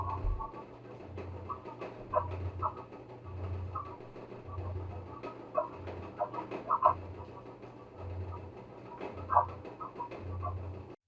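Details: LG electric dryer making loud noise: rhythmic low thump about once a second with chirping squeaks from a worn drum roller; noise is mechanical, listed causes include idler pulley, drum rollers, blower wheel, belt, glides, motor.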